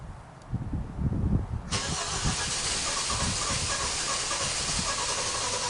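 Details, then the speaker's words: 2017 Kia Optima 2.4, burning a quart of oil every 825 miles, first start after a Berryman B12 and Liquid Moly flush soak to unstick the oil rings; several seconds of steady cranking under a loud hiss, slow to catch, a hard start. "Took a long time cranking to get this thing started. That's what they kind of showed you on the other video."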